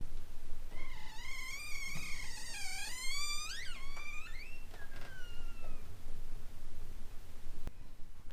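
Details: Door hinge: a wavering, high-pitched creak bending up and down as the door swings. The hinge squeaks for lack of lubricant.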